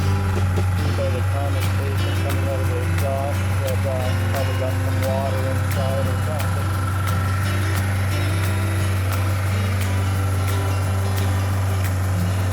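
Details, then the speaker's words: 1988 Suzuki GSX1100F Katana, four-cylinder, warm idle after the idle was turned down: a deep, steady burble with an even beat and no misses, knocks or hunting; sounds good. "Get that idle down a little bit, now that it's run for a bit. That sounds pretty good."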